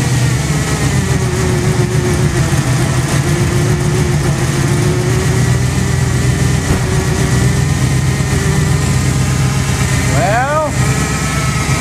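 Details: Jeep first start after water pump replacement and reassembly of power steering pump, fuel pump, AC compressor, fan and belts: steady, even low rumble with unchanging pitch, no ticking or knocking, smooth idle; a leak was noticed afterwards.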